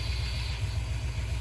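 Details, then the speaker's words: 1976 Chevrolet Corvette C3 V8 idling after a carburetor rebuild and cleaning: deep, steady burble with an even lope, no knocks or misses, no leaks; runs smooth and clean. "Looks good, sounds good, nice and clean, running really well."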